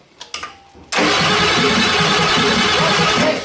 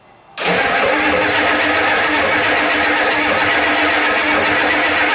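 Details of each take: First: 1989 Ford 7.3 IDI non-turbo diesel after fitting new batteries: a couple of clicks, then strong, fast, even cranking that settles into running; normal cranking speed. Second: 1989 Ford 7.3 IDI non-turbo diesel cranking steadily without catching; fuel not reaching injectors, tank selector valve suspected stuck.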